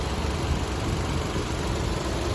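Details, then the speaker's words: 2013 Nissan Almera 1.2 ECO petrol automatic, never run on gas, just started at once: low, smooth, even idle hum with no knocks, misses or ticking; engine healthy and settled. "ผมติดแล้วครับทีเดียวชึ่งเดียวติดง่ายครับโอเคครับมาชมห้องเครื่องกันช้าๆชัดๆเลยนะครับมีเครื่องติดอยู่นะครับคุณลูกค้า"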